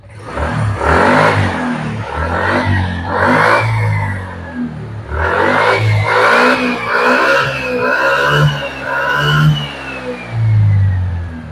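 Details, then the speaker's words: Suzuki Spin 125 after carburetor service and repair of broken CDI and battery ground wires that caused severe stumbling: engine picks up cleanly on each throttle blip and drops back smoothly, no stumbling; running normally. "motor langsung normal tidak ada istilah mbet lagi berarti penyakit Sudah kelar"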